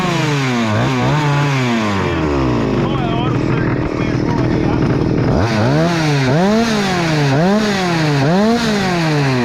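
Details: Husqvarna 288XP two-stroke chainsaw, rebuilt with new cylinder and piston, revs swing up and down unevenly and screams high without settling; running very lean, risking scored cylinder; carburettor, jammed in the fuel line, to be removed.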